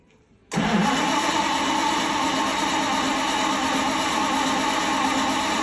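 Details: 1932 Bedford WLB coach, first start attempt after overhaul. The engine catches on the first crank, fires up cleanly and settles straight into a steady, even idle with no knocks or misses.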